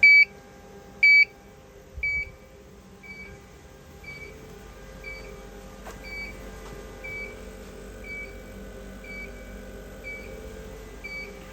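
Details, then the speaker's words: Mimaki JFX200ex flatbed printer during negative air pressure adjustment at the throttle valve: steady beep about once a second over a faint hum, warning that ink negative pressure (around -2.4 to -2.6) is outside tolerance. "You can hear it's now beeping again. So, just a slight adjustment down."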